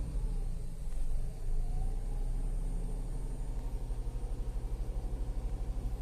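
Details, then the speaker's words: Tata Altroz petrol after third service with oil and air filter change: even low rumble with a light rev blip, steady and free of knocks or ticks; engine smoother than before. "Engine और smooth हो चुका है यह shipping और smooth है"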